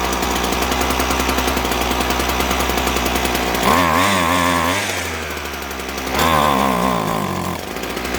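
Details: Husqvarna 122HD45 hedge trimmer that only ran on choke, after carburetor and fuel line repair: buzzy two-stroke idle climbing cleanly through two quick revs and dropping back without stalling; running properly again.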